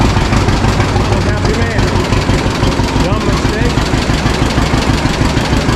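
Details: 1952 John Deere G two-cylinder tractor just started after about four years stored, after refuelling the correct tank and fixing leaks; slow even putt about three beats a second, steady and unhurried; owner says it always idled down well: healthy normal idle.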